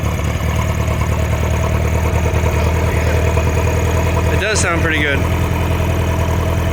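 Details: Caravelle boat engine, cold start after sitting since last summer, with reverse cable adjusted and fuel primer bulb primed. Steady, even low idle with no misses or knocks; the cold engine settles quickly and runs smoothly, normal.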